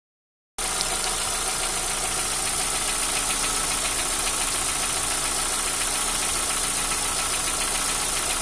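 Steady idle with a quick, light ticking running through it at roughly three to four per second, consistent with noisy lifters.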